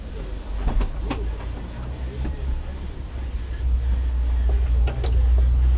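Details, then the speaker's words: Peugeot 106 1.1 first start after head gasket replacement, downpipe bolts left loose: lumpy, uneven idle with irregular stumbles and missed beats under a low rumble; one cylinder misfiring. "indeed I did forget something and I do have a Miss fire"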